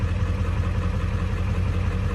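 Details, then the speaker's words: 7.3 Powerstroke diesel warming at idle after IPR replacement: a smooth, steady low drone with light clatter and no misses, noticeably smoother and quieter. IPR is falling slowly toward 19.5%, with blue smoke while cold. "But wow, I mean, it seems to be running a lot smoother, honestly. A lot quieter, and"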